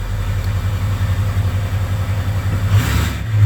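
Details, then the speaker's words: 2003 Ford 6.0 Powerstroke diesel at idle, oil 70°, FICM 48 V (weak), ICP 0.23, IPR 14.8, no codes: uneven lumpy idle with irregular stumbles; misfire, owner suspects weak FICM, injectors all buzz. "that actually started way easier than it should have but you can hear the misfire [Laughter] it's misfiring for sure"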